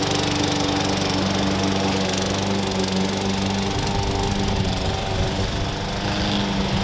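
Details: Push lawn mower that sat for years, revived with new blade, blade bell support, air cleaner and cover; steady, even single-cylinder drone holding pitch while cutting grass, no misses or surging, runs healthy.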